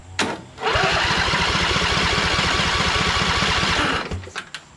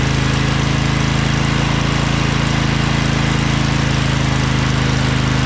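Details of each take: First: Briggs & Stratton 20 HP Intek V-twin from Craftsman LT2000, after valve guide repair: cranking at about four soft pulses a second, spinning too freely; right cylinder still about 90 psi, owner suspects blown head gasket. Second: Craftsman LT2000 lawn tractor repowered with a Briggs 20HP Intek V-twin, owner suspects a blown gasket on the right cylinder. After about 10 minutes of running: steady, even beat at constant speed, no miss or clatter, no smoke. Normal running.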